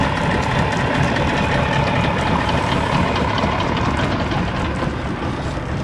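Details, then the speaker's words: Evinrude/Johnson 50 HP two-stroke outboard on a Sea Nymph boat, given after sitting a long time, cold start after a tune-up, running in water: even, steady low idle with smooth burble, no misses or knocks; normal idle. "guys I love that that idle especially especially on a motor this age um a low idle is something that is one of the hardest things to get"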